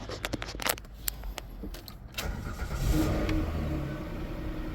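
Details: Car that had blown 140 amp and other fuses after being jump-started backwards: a few sharp clicks, starter catches, engine fires and settles into a smooth, even run; normal start.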